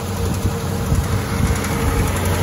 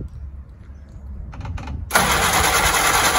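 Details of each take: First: Willys L134 flathead just after a head gasket replacement, run outside expecting smoke from antifreeze in the system; steady low rumbling run with even firing, no knocks or misses; normal running, sounds healthy and settled. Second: Willys L134 flathead after a head gasket replacement for coolant in the exhaust: the starter churns steadily for a couple of seconds but the engine doesn't catch; cranks without firing, apparently not getting fuel yet.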